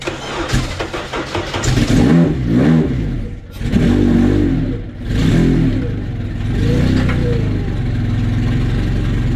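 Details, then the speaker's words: Honda Civic wagon at second fire-up on pump gas: engine fires, then surges and drops in uneven revs; throttle cable is very loose, out of threads and already maxed on adjustment, making control erratic. "It It's just the throttle's hella loose."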